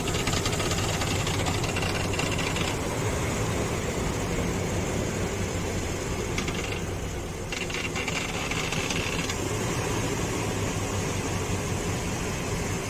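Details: Infiniti QX56 idling after a replacement power steering pump failed to stop the noise. Fast, uneven metallic knocking about three times a second over the idle. The worn belt tensioner is the cause.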